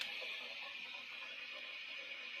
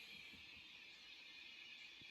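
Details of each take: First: 1996 Peavey 5150 2x12 combo tube amp, all tubes glowing: steady staticky hiss like crashing waves with occasional sharp pops, worst at standby switching, with fluctuating volume; new capacitors and resistors then fitted. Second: 1996 Peavey 5150 2x12 tube combo amp after repair with replaced resistors, warmed up with tubes glowing: only a faint steady hiss and one soft click, no crackle or rushing. The amp is now normal and quiet.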